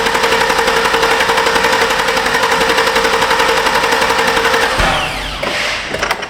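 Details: 2006 Chevrolet Silverado 2500HD 6.0 snowplow truck, 43,270 miles: long fast starter churning for several seconds without catching; extended crank that another shop's parts didn't fix, cam sensor signal being checked as possibly too far from its reluctor.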